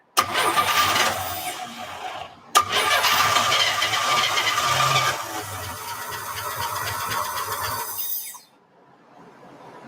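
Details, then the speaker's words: 1949 Studebaker Champion engine being revived, fuel sprinkled in by hand: engine catches and runs rough for several seconds, falters, then dies; starts then stalls, won't stay running on its own fuel. "hey you gotta put more fuel in i did keep sprinkling it in that's what i'm trying to do and it keeps stalling"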